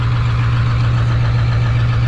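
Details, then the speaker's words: 7.3 Powerstroke diesel engine swap, first run with no boost or exhaust leaks: steady, even diesel clatter idling around 900 rpm, a bit high; switching to quiet idle mode lowers rpm and noise. "we're right about 900 rpms like i say it's kind of high but if i put our hydra to our quiet idle mode you can immediately hear how much quieter it is and to drop the rpms down to about where they should be"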